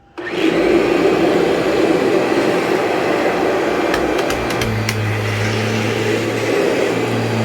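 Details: Vacuum cleaner with HEPA bag bought from a customer, lower cord hook broken, possible leaks; motor spins up quickly to a steady, even roar with a constant low hum, no rattles or grinding, works fine.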